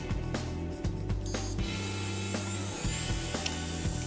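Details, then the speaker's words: Seagate hard drive after repeated magnet and electromagnet exposure plus a drop test: sharp irregular clicks as the read/write head seeks and fails to read the disk, click of death. "oh you're clicking you can hear that definitely here the read/write head moving around struggling to even read anything"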